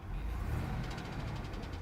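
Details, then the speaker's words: Engine running: heavy deep rumble with a fast regular knocking, a worn rod bearing; the owner was told to replace the engine. "It's not looking good, not sounding good, buddy. No, I'm not digging that one. Heavy knocks, not good."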